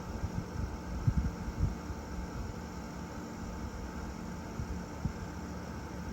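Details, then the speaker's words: 1993 Panasonic Quasar 8,000 BTU split-style window air conditioner on low cool, with a steady, quiet hum mostly from the outside fan and compressor; no knocks, running normally. "That's on low cool. And most of that noise is outside. Outside, yeah. That's your outside fan and compressor. Well, mostly the compressor."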